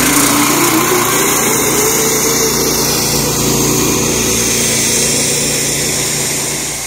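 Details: Small single-cylinder gas engine on an electric-to-gas golf cart conversion, just rope-started with choke: steady, even buzz at fast idle with no misses or knocks; it runs clean after starting.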